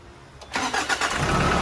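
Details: Nissan Frontier diesel after fitting a new starter motor (old one slipped, Bendix or planetary gear suspected): quick clean crank, engine catches at once and settles into steady idle; problem solved.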